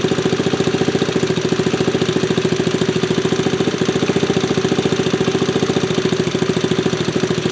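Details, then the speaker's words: 1974 Honda ST90 with a fresh top end, started after adding gas: the small single-cylinder engine putters with a quick, steady popping beat, with no misses, rattles or knocking, and runs healthy. "Okay, it's got gas in it now. Let's try that again. Sounds good."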